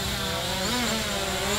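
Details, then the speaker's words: MJX Bugs 3 Blue Edition brushless quadcopter in flight: smooth high buzzing whine from the brushless motors, pitch wavering slightly; motors sound clean and normal. "it's got nice lights very cool just looks so good sounds great listen to those brushless"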